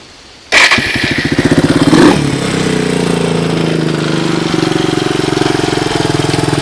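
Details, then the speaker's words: Suzuki DR200ES single-cylinder motorcycle, first start after acquiring, air filter refitted, temporary fuel line: catches instantly, quick blip, then settles to steady even idle thump without misfires; starts easily, normal cold start. "so that's what it sounds like i mean it seems to idle okay she seems to wind up those are all good things"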